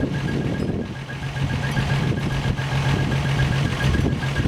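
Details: 1963 Rambler American first engine start after rebuild: low, even idle rumble with steady hum, no knocking; coolant at 195°F with 195°F thermostat, oil pressure above 30 psi gauge, slight exhaust leak; normal idle.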